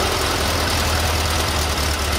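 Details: VW Beetle air-cooled flat-four with its ignition timing set by turning the distributor, advanced from about 24° static to 32° at raised revs: steady, even beat with no misses. Timing is right on the mark.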